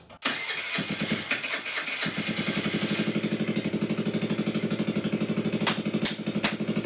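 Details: GY6 139QMB Honda Ruckus clone freshly rebuilt with a 100cc big bore kit: it catches after a brief crank and settles into a loud, even putter. Running cleanly; the exhaust issue is unresolved.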